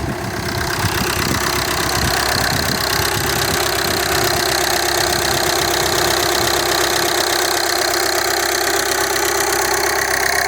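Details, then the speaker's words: VW Jetta TDI just after a timing belt change, first start: steady, even diesel clatter at idle with no misses or hunting; engine running fine. "okay i think we might be good to go fingers crossed [Music] look at that sounds like we're running"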